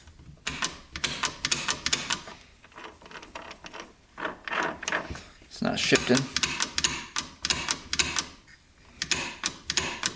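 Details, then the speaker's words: 2001 Suzuki RM125 dirt bike in pieces, shifter worked by hand on the shift shaft: repeated sharp metallic clicking and ratcheting, grinding, gearbox not engaging first gear; sprocket spins freely. "so we'll go into first here if we can and that doesn't work it's like grinding in there you can hear that that's supposed to be in gear it's not"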